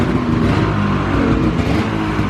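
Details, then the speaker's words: 2000 Ski-Doo Grand Touring 600 two-stroke snowmobile, sat outside 3+ years, carb cleaned and battery charged: steady low, even burble with no pops or misses. Idle set a little low, otherwise running well. "sounds good too. Pop this open. I don't hear any pops or anything coming from the engine."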